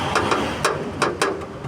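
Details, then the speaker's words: Chevrolet Onix (Plus/LTZ): tinny metallic rattling in quick irregular bursts from the underbody heat shield (manta), which works loose after hitting speed bumps and vibrates against the car. Pushing it back into place fixes it. "Fazendo barulho de lata. Olha essa manta aqui, tá vendo? Essa manta ela bate."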